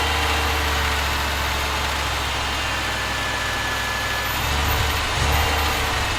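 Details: Audi 2.2 Bosch K-Jetronic, new old-stock Bosch injectors, mixture weakened one turn, started via cold start valve: hunting idle surging and dipping, barely running; owner plans removing metering unit to set sensor plate height.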